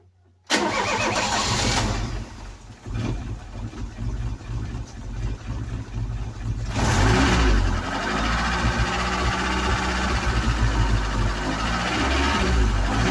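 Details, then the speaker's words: Ford Cortina with a freshly charged battery, being fed petrol during tinkering: cranks and catches quickly, then settles into an uneven idle with a slight stumble. Rough running after start. "Sounds good. Still a little bit lumpy. Still a little bit lumpy."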